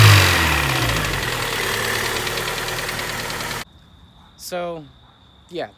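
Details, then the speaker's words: Honda Prelude engine running with a light, hollow, irregular tapping high in the block, not a deep bottom-end knock; piston slap on one side with no pressure holding the wrist pin up, bearings believed fine. "so that noise you guys were hearing in that clip was friggin pissed and slap because it was uneven because the freakin there was no pressure holding the damn wrist pin up on that side"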